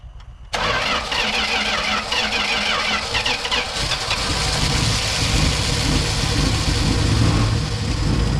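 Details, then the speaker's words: 1970 Dodge Challenger slant six, its first start after sitting rat-infested, with the carburetor hooked up, new spark plugs, old plug wires and a temporary fuel pump bypassing the tank. A brief crank catches quickly and settles into a fairly even idle with a slight lope; normal start. "She lives, ladies and gentlemen. Doesn't sound terrible."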